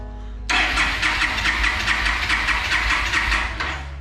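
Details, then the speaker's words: 2011 Yamaha Stryker cruiser motorcycle: steady starter churn about two and a half beats a second for three seconds, no catch; owner plans to try spark plugs first; crank no start. "well yeah that ain't good that definitely ain't good at all but uh hey that's what it's doing man"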